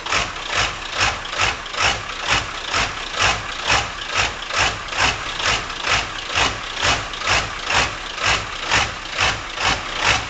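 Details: 1997 Powerstroke diesel idling unevenly at about two beats a second with a loping, shaky rhythm. The rough idle occurs cold or warm in any weather and smooths out with throttle. GPR, glow plugs, MAP and cam sensors already replaced and FPR screen cleaned; cause unknown.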